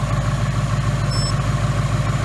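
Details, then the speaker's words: 2018 Mustang GT 5.0 Coyote V8, new forged-piston engine, about 300 miles on break-in oil, nearly warmed up: smooth even low burble, tight, no ticking, quiet high-pressure fuel pump; normal warm idle. "see at this point this engine to me sounds like my Gen 1 coyote very tight"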